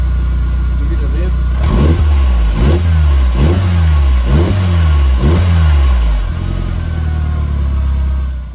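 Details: Golf Mk4 GTI after service and fuel filter replacement with genuine VW part, which cured a flat spot on light acceleration: idle picks up into quick even blips rising and falling smoothly, no stumble; revs normally.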